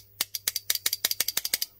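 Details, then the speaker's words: WARN winch solenoid pack: about a dozen sharp, dry, irregular clicks in under two seconds as the armature snaps in and out freely again. "Definitely got some movement there now. Can you see that?"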